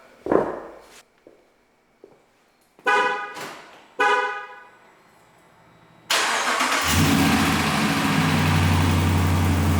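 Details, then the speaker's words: 2017 Ram 1500 Rebel V8 after fitting new BD Diesel exhaust manifold on one side: starts and idles with a fast light tick from a leak at the manifold-to-downpipe bolts, fixed by tightening them. "I was really upset for a second with that exhaust leak, but all I had to do is tighten up that uh those couple of bolts around the exhaust manifold where it exits into the downpipe."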